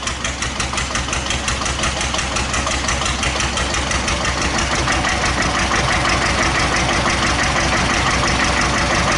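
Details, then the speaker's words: 1941 Witte single-cylinder diesel generator plant, 8,000 W, after drop from 50% load in one step: thump speeds up and grows louder; worn governor linkage gives droop and speed surge on load drop. "the governor on this engine is a bit worn the linkages worn I think what I mean so she does have a bit of droop"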